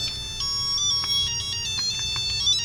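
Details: Tiger Electronics Mega Man 2 handheld, test unit powered on batteries: bright, clear beeping tune with distinct notes, no crackle or dropouts; normal sound output.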